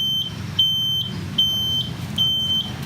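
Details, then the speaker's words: 1996 Suzuki Bravo (RC100 striping) two-stroke moped; high beep about 75 per minute over faint idle, sounding nonstop once ignition is on, from a turn-signal buzzer likely added by a previous owner; owner thinks it is malfunctioning. Buzzer sounding continuously. "Oke, nih kayak gini tuh suaranya. Nah ini mungkin lagi error nih. Jadi udah nyalain kontak aja udah nyala nih, udah bunyi."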